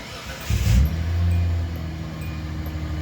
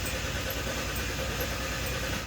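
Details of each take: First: Hyundai Santa Fe after fuel tank and fuel pump replacement, about 2.5 gallons in, rear on ramp, exhaust off: catches first try with rev flare, settles to steady, even idle; starts cleanly, no leaks. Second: Hyundai Santa Fe after fuel pump replacement and leaking-tank repair, with an empty tank: starter spins the engine steadily for about two seconds but it never fires, then cranking stops; no fuel.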